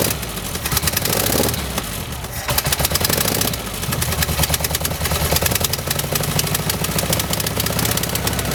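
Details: 1971 VW bus flat-four with new carburetor, throttle cable fixed, air cleaner off, timing not yet set; uneven idle with loose, lumpy clatter and uneven firing, running a little rough, cause not yet found.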